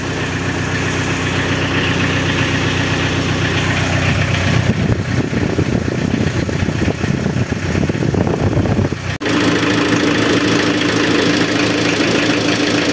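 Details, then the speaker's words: Renault Kangoo F8Q 1.9 diesel after fitting a mechanical Bosch VE pump in place of the original Lucas Delphi DPC: steady idle clatter, a clean rev rising and falling smoothly, then even idle; sounds practically the same as with the Lucas pump. "yo encuentro que el motor suena igual prácticamente que con la bomba Lucas original"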